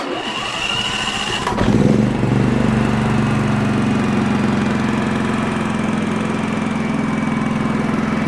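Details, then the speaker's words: Champion 4500 W dual-fuel inverter generator, repaired after not running, electric start without choke: brief crank, catches within a second, settles to even steady run; fixed, normal start. "So she's fired up, she's fixed."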